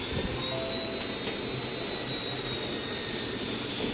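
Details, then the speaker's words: Dell Latitude E5420 laptop fan at power-on: steady high-pitched whine over a rushing airflow hiss that never lets up, caused by paper debris stuck in the fan; cleared after opening the back cover. "देख रहे हैं ये काफी fan की आवाज आ रही है।"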